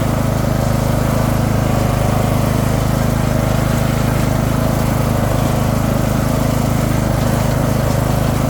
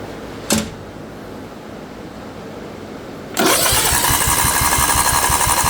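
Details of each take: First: Craftsman II lawn tractor with swapped-in newer single-cylinder engine and a bad key switch: steady even drone, smooth low beat, no misses or surging; running healthy. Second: Craftsman II lawn tractor with swapped newer engine, solenoid jumped due to bad key switch: starter spins engine about four beats a second in a steady chug that never catches; cranks but won't fire, owner suspects a wire stopping the motor.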